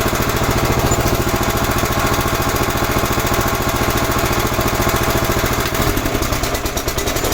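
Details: 11 hp Honda engine on an Emglo air compressor after carburetor and air cleaner box replacement: even, steady single-cylinder thump at constant speed under compressor load, no misses or surging; normal running.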